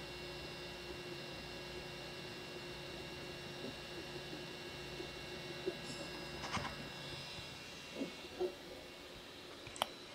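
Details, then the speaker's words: Creality CR6 SE 3D printer after fitting Noctua fans to the power supply and motherboard, mic in the same spot as before: a faint, even hum with soft tones and light clicks. Much quieter; remaining noise comes from the hot end fans. Normal. "so as you saw there it's way wet and handy you should have heard as well much much quieter in fact the only noise really now is all the noise from the the hot end"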